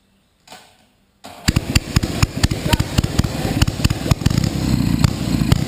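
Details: Panhard first start, throwing flames and oil: catches after a pause, then uneven popping firing that climbs in speed by itself, revving without input; surging idle.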